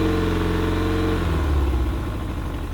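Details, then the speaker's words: Pontoon boat outboard after carburetor cleaning: steady running note, then pitch sags and beat turns rough and uneven as it starves for fuel; tank fuel vent was closed, primer bulb not soft. "and that's exactly what it was doing to me yesterday of course it might help if I had the fuel vent open bulb wasn't soft"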